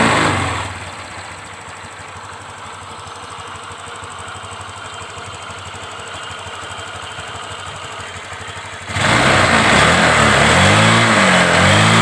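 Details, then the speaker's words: Honda Vario 125 New scooter after fixing rough "tek tek" noise at idle and throttle-off by adding about 2 mm brass weld to the cam chain tensioner lifter tip: smooth even idle, clean free rev, quiet top end; normal, like new. "baik temen-temen sudah berhasil hasilnya normal Ya seperti baru lagi"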